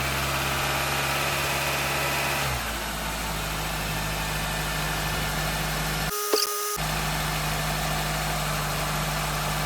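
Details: 2004 Honda Accord with a replacement 2.4L engine, first start after installation: catches and settles into a smooth, even idle with a steady low hum and no knocks or rattles; normal idle.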